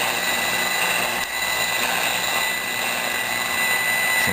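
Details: Zenith Trans Oceanic Royal 3000-1 portable radio after capacitor replacement: steady station hiss with faint program audio and thin high tone, receiving normally.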